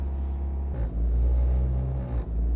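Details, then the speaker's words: Honda Civic hatchback petrol engine idle surge: high, unsteady idle wandering about 1,500–1,900 rpm instead of settling, present for years, comes and goes while driving. "So it's between probably 1,500 to 1,900 or 18. And as you guys might be able to hear, it will get annoying."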